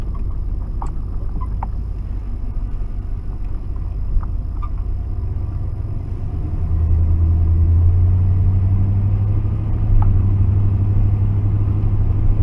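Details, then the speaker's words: 1992 Ford F-150 4x4, 302 V8, sat 10 years, after reconnecting a loose vacuum line, with the alternator charging: steady low rumble and an even idle with no knocks or misses; runs fine. "Seems to run good now. It's a 302. It's a good good engine."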